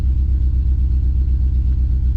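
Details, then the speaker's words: GMC Yukon with rough idle, before intake gasket, knock sensor, O2 and injector work: deep rumble with uneven lumpy pulses; scan shows hundreds of cylinder 8 misfires, some on cylinder 1. "it's definitely cylinder number eight"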